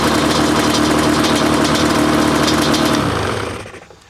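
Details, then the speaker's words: 2005 Yamaha Banshee SE two-stroke after TORS delete, with richer 27.5 idle jets and new carb drain plug screws, holds a crisp, even idle and runs much better; carbs may still need fine tuning. "It seems to be running much better with that slightly richer idle jet in the carburetors."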